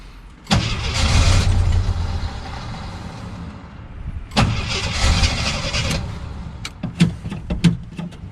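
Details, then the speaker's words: 1977 Jeep CJ7 Renegade that sat 9–10 years: two long cranking bursts, starter spinning steadily but no start; jerrican siphon tube had popped out of the fuel, so fuel starvation, pickup sucking air. "so the jeep stolen out there not wanting to start wasn't the deeps fault it was the dummy who set up the jerrican when I moved it I didn't realize that the siphon tube I have gone inside moved and it actually popped up and out of the water so or out of the fuel"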